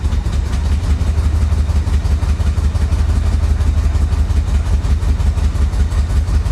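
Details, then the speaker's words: 1985 Chevy Corvette rescued from a Florida swamp: low, lumpy V8 rumble pulsing about three times a second, idle uneven and barely holding off throttle; rough running, owner suspects timing or fuel. "oh yeah that sounds like a timing issue doesn't it I don't know could be fuel could be timing"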